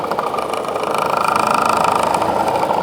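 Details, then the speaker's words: Honeywell air filter fan: steady midrange hum with a rhythmic rattle about four times a second; likely unbalanced by caked dust and pet hair; doesn't feel loose, bearings seem fine. "Honestly, it might just be so caked up with dust and crap, it's throwing it off balance."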